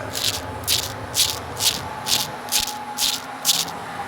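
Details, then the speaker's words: Commercial mower deck spindle bearing spun by hand with pulley removed: gritty rattling grind in bursts about twice a second from worn bearing. "That sounds horrible."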